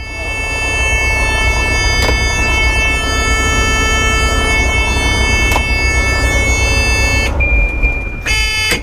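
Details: Bus heater being powered up to see if it fires or the fuse is blown: a loud, steady buzzing tone comes on at switch-on and holds unbroken; the cause is not yet traced.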